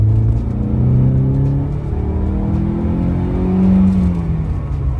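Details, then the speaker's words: 1986 Mercedes 190E 2.3-16v Cosworth barn find, revived after 15 years with new injectors and a restored fuel distributor, accelerating through the gears up an on-ramp: a smooth, strong pull with the note rising cleanly, no misfire; normal acceleration. "Oh, that sounds sweet. It sounds so good. So much. Oh my gosh. Noise. Oh, that sounds glorious."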